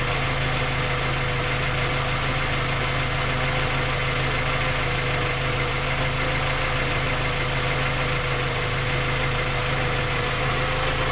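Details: Skoda Octavia A5 facelift 1.6 MPI, engine knocking when cold despite three engine repairs that did not find the fault: steady idle with a faint, fast, even ticking knock over the engine note; source not pinned down.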